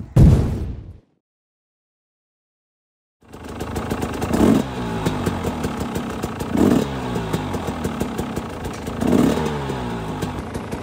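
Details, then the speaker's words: Rebuilt 300 two-stroke enduro (new clutch, gearbox, piston, cylinder) at its first run-in ride: crisp, even idle with a few quick throttle blips that rise and drop back cleanly; smooth, normal idle. "wenn ich nur das Standgas höre es fühlt sich so butterweich an"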